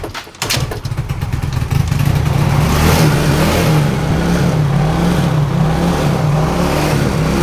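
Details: Yamaha Mio J injection scooter, dead for a week with flat battery, after battery charging: engine catches after brief crank, settles into steady even idle, then picks up cleanly on throttle; running healthy.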